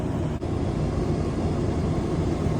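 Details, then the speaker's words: RV rooftop air conditioner after swapping the Dometic thermostat for a Micro-Air, set to cool 71; compressor kicks on with an even, constant low hum and smooth airy rush, no clicks or grinding, working normally. "All right, compressor kicked on. So that's good. That's working."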